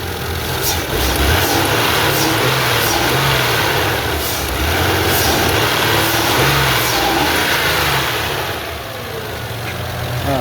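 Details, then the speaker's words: 2001 Mazda 626 2.5L after replacing fuel injectors: even engine note swells smoothly on throttle blips and settles cleanly, no sputter or misfire (previously sputtered revving); healthy idle and rev. "So, sounds like it's idling pretty well."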